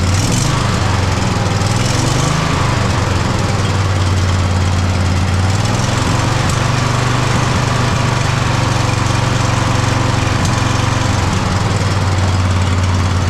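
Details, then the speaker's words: Poulan mud mower two-cylinder engine with both plugs reconnected after servicing: runs rough and uneven, stumbling and surging at idle. Still misfiring; a fuel and air problem is suspected, so the carburetor is to come off. "Nope. Still kind of misfiring. All right. So, that's going to be carburetor take-off gig."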